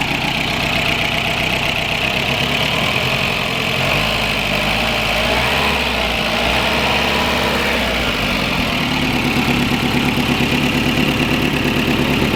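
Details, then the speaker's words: VW Rabbit pickup that wouldn't start, now running after tracing wiring and finding an exposed, corroded wire (HT leads still worn): steady, even idle with a hiss over the top, no misses or knocks; normal idle. "I haven't eaten, I haven't slept, and I've been on my feet since fuck knows, and so had such a long day, but there's light at the end of the tunnel because we got it working."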